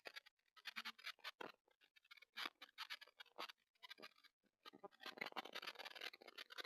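In an otherwise silent room, irregular sharp crackles and pops come and go with no steady sound underneath: crackling from the camera's microphone.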